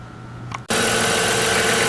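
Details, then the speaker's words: 1998 Chrysler Town & Country 3.8 L started after replacing the number 1 fuel injector, checked for fuel leaks and misfire. It catches and settles straight into a smooth, even idle with no stumble. "so we've started the engine here's to be running smoothly making the normal kind of Chrysler noise"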